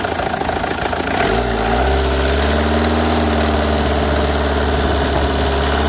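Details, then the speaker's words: Renault Express small diesel after head gasket and timing replacement: steady even idle with low rumble and clatter, no abnormal noise; slight leak noted. "d'après ce qu'elle à l'appui il n'y a pas de bruit anormal"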